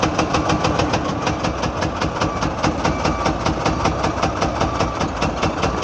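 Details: Engine knock while unloading a truck: a sharp, regular knock of a few beats per second rides steadily over the engine's rumble, suggesting internal engine knock.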